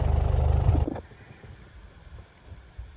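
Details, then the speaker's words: Land Rover Defender 110 diesel after replacing the failed fuel lift pump (old one wouldn't prime) and re-priming: fires straight up and settles into an even, low, steady chug with no stumbling or misfire; sounds much better, normal healthy idle. "and there we go that sounded a lot better"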